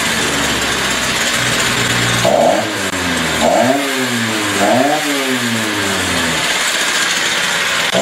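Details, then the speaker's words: Stihl TS350 two-stroke saw, first cold start after engine rebuild at about minus 30, no air cleaner or filter fitted yet: repeated rev blips, each climb briefly hesitating; revs up fine with a slight bog on acceleration; carb adjustments on hold. "I could continue playing with the carburetor but right now it seems rev up fine has a little bit of a bog stale uh but I'm not going to do any more adjustments till I get the air cleaner on and the air filter"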